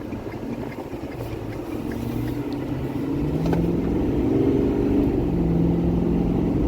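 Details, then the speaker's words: 2012 Ford F-350 6.7 Powerstroke diesel, nearing coolant temperature, after new injectors and CP4 pump: full-throttle 0–65 mph pull, smooth and strong, no stumble; previously set an 88 code, none now; fuel system repair seems good. "We just did a 0 to 65 flat-footed. I'm sure that would have set an 88 code like it has been. I think the fuel system came out good."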